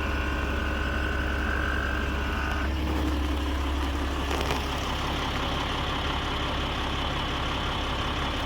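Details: Audi Q7 idling just after replacing the air suspension compressor and valve block: steady, fairly high-toned compressor hum that changes pitch partway as the front rises slowly; compressor pumping normally.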